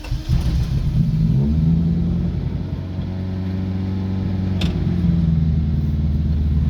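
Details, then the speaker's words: 1987 Acura Integra that fired after a little cranking: deep, uneven idle that lopes and stumbles; disabling cylinder one makes it stumble, cylinder two brings no change, so cylinder two is dead; owner doubts spark, borescope showed nothing. "all right the demonstration cylinder one is fine you can hear it stumble cylinder 2 is the one that has the problem no change"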